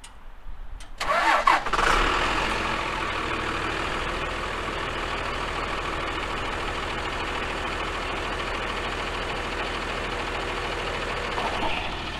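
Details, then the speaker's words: Freightliner FL70 diesel truck, cold start, new Donaldson exhaust with 4–5 inch pipe and resonator: cleanly catches into smooth, even, quiet idle with soft rumble, slight grey smoke when cold; healthy, like a Dodge pickup. "you were to turn around and not look at the truck and hear it idling it would sound just like a dodge pickup or you would think it was a dodge pickup"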